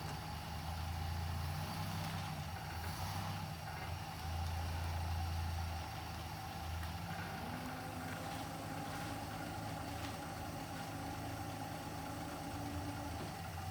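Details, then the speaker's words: 1959 Plymouth Suburban wagon with 75,000 original miles, long-stored barn find, idling after its first start before being driven out. Steady low, even idle rumble with no ticking or misses; so quiet it's hard to hear it run. Normal idle. "that's so quiet i can't hear it run"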